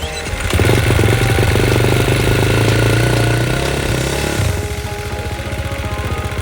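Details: 2016 KTM 350 XC-F single, 150 hours, sold as a non-starter; fires easily once boosted and cranking fast, cold start available: catches and revs up, then settles to an uneven idle. Seller's hard-starting claim doubted.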